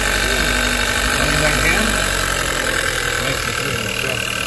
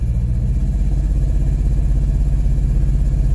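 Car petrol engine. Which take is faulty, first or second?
second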